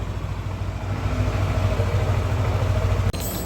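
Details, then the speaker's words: Old-model Yamaha NMAX, engine hot: a coarse, fast clattering rattle over the idle beat that only appears once hot, not when cold; a cam chain tensioner letting the chain slap is suspected, source still being inspected. "suara kasar ini yang dikeluhkan oleh pemilik jadi motor setelah suhu panas ya untuk awal-awal tidak ada kendala tapi udah suhu panas ini muncul suara kasar seperti ini"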